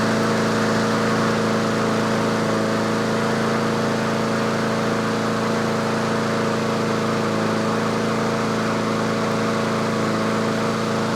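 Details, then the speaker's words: Yard Machines/Yard-Man 21-inch self-propelled push mower, just started and warming after choke off, at tune-up: steady even drone at about 3300 rpm, the usual set speed, no misses or knocks; healthy governed running. "so that's the inductive attack it's running about 3300 that's where i normally set them"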